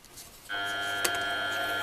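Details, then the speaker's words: Clarke CMD300/Sieg X2-type mini mill, gearbox in low range, running forward at turned-down speed: motor kicks in then a steady high gear whine that rises as speed increases; the gear train sounds very noisy, cause not found. "you hear it whirring and it speeds up I hope you can hear from the sound it sounds really quite noisy I find that very noisy"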